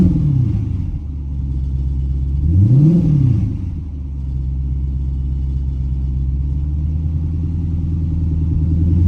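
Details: 2010 Dodge Charger at its first startup after a set of heads was destroyed; the engine catches and settles into a smooth low hum, with one clean rev in the middle and no knocks or rattles, running healthy.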